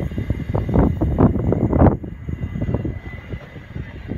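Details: Class 66 locomotive 66.704 hauling freight past Spalding with heavy uneven rumble and rattling thumps from wheels on rails; noisy running noted after rail grinding.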